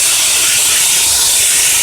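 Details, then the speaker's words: 2002 Honda Accord EX 2.3 L four-cylinder VTEC, engine off and exhaust pressurized from the tailpipe with a Shop-Vac, heard under the car: a loud, steady airy hiss of air escaping at the flex pipe, with soot confirming an exhaust leak. "I pressurized the exhaust system and we're listening for leak and listen to that we can hear the leak now"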